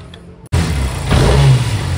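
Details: Honda Silver Wing scooter that would not start, after new spark plugs and air/idle screw synchronization adjustment: engine catches, blips briefly, then holds a steady, even low idle with no stumbling; normal idle.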